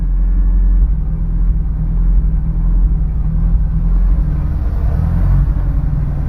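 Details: Honda S2000 with new spark plugs: deep uneven idle rumble with occasional revs and lumpy stumbles in the firing; engine misfiring, cause not yet pinned down.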